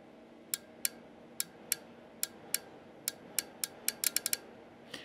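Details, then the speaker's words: Yaesu FT-450 transceiver on transmit: sharp, crisp relay clicks, about a dozen in five seconds, over quiet hiss; relays switch but contacts suspected bad, relay cleaning mode not cycling. Cause suspected, not confirmed. "I'm gonna see what happens I'm gonna guess that when you hear it listen to the click"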